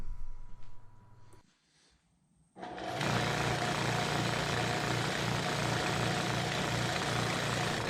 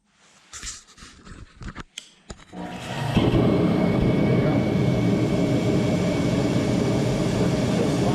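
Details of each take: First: Torpedo heater with fuel nozzle ruled out by reconnecting the hose: motor spins up to a steady fan whir but no burner roar, heater does not fire; fault traced to the air pump rotor, which is then replaced. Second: Torpedo heater after rotor replacement and filter cleaning, previously starting then shutting off without firing: a few quiet clicks, then the burner lights into a steady even roar, no sputter or surging; normal running.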